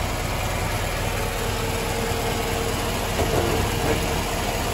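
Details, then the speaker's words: 1995 Chevy Caprice wagon, LT1/L99 V8: steady idle with intermittent high chirp, blamed on the belt or a bad idler/tensioner pulley, which usually wear together. "when it's making that kind of chirping sound it's either the belt or the idler pulley has gone bad the tensioner"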